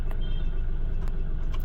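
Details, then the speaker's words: Mahindra Bolero Neo diesel at idle after long cranking to start, no check engine light: heavy uneven rumble with knocking and strong engine and body vibration; fault later traced to rail pressure sensor code P019385. "पर car के अंदर अभी भी वैसे ही knocking है। Engine के अंदर पूरा वाइब्रेशन है। बॉडी में भी पूरा वाइब्रेशन है।"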